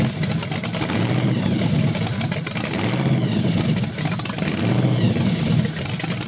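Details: Small-block Chevy 383 stroker (Weiand 6-71 blower, 8% underdrive, twin Carter AFB 500 cfm carbs, 93 octane) on a stand at first startup: revs rise and sag unevenly and stumble as it picks up. Lean is suspected; new main jets, rods and springs are on order.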